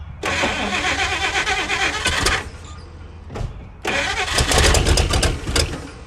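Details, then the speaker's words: Cranking a 1956 Chrysler Windsor that had sat at least five years, rebuilt starter just refitted: two bursts of steady cranking with brief catches that never take; engine turns over fine but gets no fuel, no fuel leak. "We don't have a fuel leak. We got no fuel."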